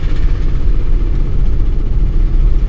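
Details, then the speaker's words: 2001 Volkswagen Jetta VR6 being diagnosed for engine knocking noise, while driving: heavy, stumbling low rumble with irregular drops, described as sounding like a helicopter, barely running and stalling; severe misfire, cause unconfirmed. "oh my god this thing sounds like a helicopter oh this is a really bad idea this is a really bad idea"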